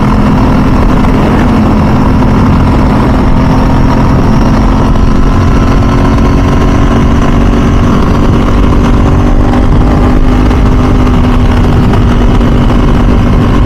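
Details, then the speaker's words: 2000 Ducati 996 SPS V-twin on its first ride after a full service, cruising in mild Southern California weather: a deep, even drone holds steady with no knocks or rattles, running healthy. "Man, the sound of the exhaust is absolutely amazing. Absolutely amazing. It's like music to your ears."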